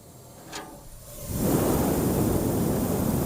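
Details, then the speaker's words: Single-door fridge pressure test with compound gauge, air charged but pressure not rising: strong steady hiss of escaping air; fast leak suspected in the evaporator, leak also shown with soap foam. "अब यहाँ पर देखते हैं कि वो operator में हो सकता लीकेज होगा, क्योंकि एयर भरा रहा है लेकिन चढ़ नहीं रहा है। सुनाइए, आवाज देखिए निकल रहा है, तो बहुत तेजी से लीक है।"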